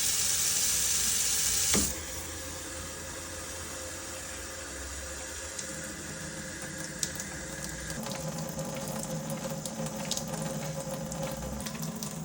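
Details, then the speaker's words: eSpring water filter after filter replacement and cleaning of the sensor contact that caused beeping, now running cold tap water. Steady hiss of water flowing through the filter with no beeping; problem fixed. Normal water flow with no alarm beep. "ครับการทำงานตรงนี้บ่งบอกว่าน้ำได้ผ่านไส้กรองนะครับมันก็จะไม่ดังแล้วนะครับเป็นไปว่าปัญหาแก้ไข"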